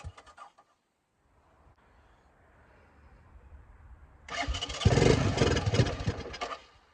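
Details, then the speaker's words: 1984 Honda ATC 200M three-wheeler, barn find stored 30 years, first start after oil change, fuel system cleaning, new fuel line and filter, choked by hand; quiet cranking then single runs rough and uneven at low speed, no knocks or rattles, sounds sound. "That sounded good. So it runs and I don't hear any noises, so that's really good."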